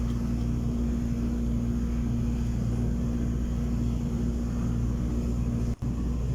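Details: Submersible water pump starting after the pressure switch springs were adjusted so the contacts close: steady, even low hum with no knocks or surges, the pump running normally and the water meter turning.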